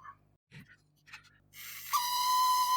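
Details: Motor from a 1966 Addams Family "Thing" coin bank, after drops of IPA, run on a bench supply at one volt: handling noise, then a thin steady high-pitched whine at one pitch, motor whine of uncertain cause.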